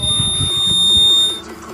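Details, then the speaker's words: Homemade door alarm project (buzzer, light, switch, battery): opening the door triggers a steady, piercing high-pitched buzzer siren for over a second, then it cuts off while the light comes on; the buzzer is working as intended. "देखिए siren बज रहा है इसमें, और आप देख सकते हैं ऊपर लाइट भी जल रहा है।"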